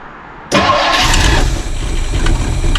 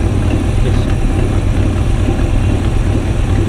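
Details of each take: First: Older classic car, first start with choke pulled slightly and a little fresh fuel: engine catches straight away into a steady rumbling idle; some spitting, possible exhaust leak suspected, otherwise a clean start. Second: Long-stored classic car started on stale fuel with a little choke: loud, slightly uneven low idle with occasional sharp spitting puffs; suspected backfire or exhaust leak, not confirmed.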